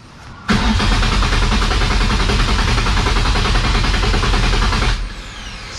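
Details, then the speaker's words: Nissan S13 with a VQ35 swap, no start thought fuel-related, with 12 V at the injectors, spark confirmed, fuel pump priming and battery charged: about four and a half seconds of steady cranking, never fires; zero fuel pressure measured. "we have fuel fuel pump is priming the battery's charged now throttle wheel is connected and uh i test the fuel pressure and i'm getting zero fuel pressure"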